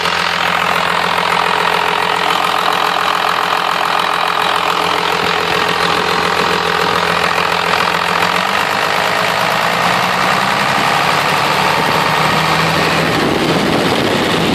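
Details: 1997 Cummins 12-valve diesel runs steady, then a harsh, rhythmic, jake-brake-like bark builds in the exhaust as load is applied; cause unknown.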